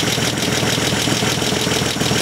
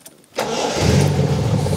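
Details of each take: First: 43-year-old TVR 3000M, hot engine at idle with oil pressure about 2.5 kg rising to 4.5 with revs: quick, light ticking that follows the revs, loudest at cylinder 3. Excess valve clearance needs adjusting; an exhaust leak is also heard. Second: 1977 TVR 3000M, 43 years old, 3.0-litre Ford Essex V6 of about 160 hp: short crank, then the engine catches almost instantly and settles into a steady, even idle. Normal quick start.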